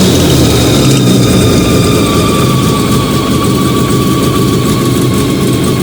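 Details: Fiat 125 (Bialbero) on CNG with a newly fitted carburettor gas injector and the original air filter, just started. Loud, steady idle with an even, unbroken beat, no misses or knocks. Normal idle.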